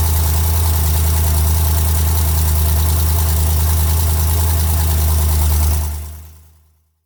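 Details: 2008 BMW M3 E92 V8, 88,000 km, mostly city driving, at idle: quick even tick about four per second, resembling conrod bearing noise but actually exhaust manifold leak.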